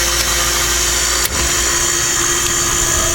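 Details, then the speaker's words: Vintage Montgomery Wards 25-pint dehumidifier made by Norge, around 1969–70, starting with the fan set between speeds. A sharp contactor click is followed by a smooth, even refrigerator-like hum from its compressor and a steady fan hiss. It is a normal, clean compressor start. "get a reciprocating compressor in it now to rotary compressor so it sounds like a refrigerator beautiful"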